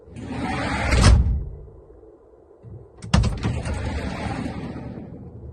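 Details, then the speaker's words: Sobol 4x4 van sliding side door after adjusting its mounts (centering, then tightening top before bottom): door rolls and shuts softly with a muffled thud, no sharp metallic bang; previously knocked over speed bumps. "Прям вот этого металлического тыщ нету."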